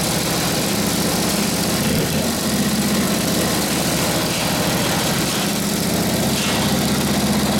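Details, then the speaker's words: Rebuilt Harley 45ci WL flathead V-twin, warming up, idles through a muffler; an even, loping thump with a throaty exhaust and no knocks or misses makes a healthy warm-up idle that spits flame when revved. "muffer sounds good it does success it spits flame out of when I get after it good getting warmed up a little bit"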